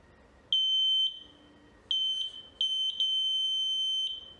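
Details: VLF metal detector on a 9 V battery, after a new LED was connected and the buzzer reconnected and the constant beeping stopped: clean short high beeps near metal with silence between, the detector now working normally.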